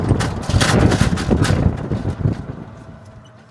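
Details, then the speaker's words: Tesla Model 3 plastic aero wheel cover: loose, uneven clattering from the wheel area caused by loose metal clips; fixed by removing the cover, checking the clips and securing the cover with cable ties. "My name is Cornel, and I want to show you one noise coming from the wheels and how you can fix it."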